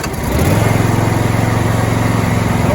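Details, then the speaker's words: John Deere Z525E zero-turn riding mower, mower deck engaged, then taken up to full throttle: engine climbs quickly and holds a steady, even high drone with blades spinning; smooth, healthy running. "deck on. Up to full throttle."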